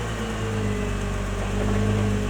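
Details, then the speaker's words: Nissan GT-R R35 (MY20) after cleaning rust off the left-front hub and wheel mounting faces, driven slowly with the wheel turned right and then in reverse: a steady low drone with no more clicking from the left front, so the fix worked. "お、カチカチ音が鳴らなくなった。ではバックではどうでしょう。バックでもカチカチ音は鳴っていません。"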